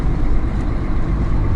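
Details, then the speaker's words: Mercedes-Benz Actros 1844 truck driving, heard inside the cab: only an even, low road and engine rumble with no squeak or chirp; the cricket squeak came from a panel behind the seat, not the seat. "Я нет. Я нашел этот скрип, свист."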